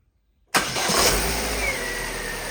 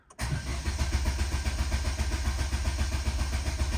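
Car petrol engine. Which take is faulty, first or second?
second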